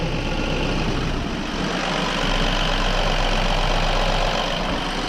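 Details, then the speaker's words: BMW N13 (F20/F30) idle after replacing the rattling oil pump chain, rattles gone after two months: steady, even idle with light normal injector tick and no rattle or knock underneath. "which means i'm a very happy fellow but finally after two months there are absolutely no rebels coming from this engine"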